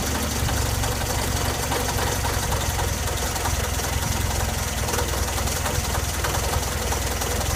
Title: Engine knock